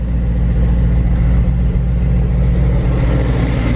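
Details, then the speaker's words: Supercharged Lingenfelter C7 Corvette Stingray with 1500+ hp KDI direct-injection injectors, true cold start after sitting, temperature needle fully cold; deep steady V8 burble with slight lope, no misses or knocks; normal cold idle. "so like Sam said it's been sitting there for a while it's a true cold start the engine is a couple is completely cold"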